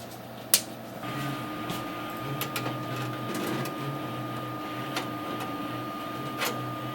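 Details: Computer power supply humming: a steady low hum with a thin constant high tone in a quiet room.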